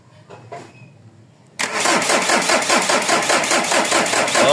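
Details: Mazda BT-50 pickup with a 3.0 DI turbo diesel (WE engine) and a long-standing hard-start problem: the starter churns steadily at about two and a half beats a second but the engine won't fire; with starting fluid it catches and dies, so a fuel supply fault is suspected.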